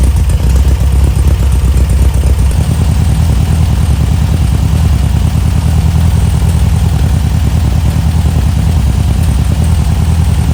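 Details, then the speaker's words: 1973 Volkswagen Super Beetle 1303 after 15 years outside, smaller carb screw set 2.5 turns out and fuel tank sorted; air-cooled engine holds a steady, even low chugging idle with no misses or knocks; normal idle. "Okay, mission accomplished. This engine is actually not trash."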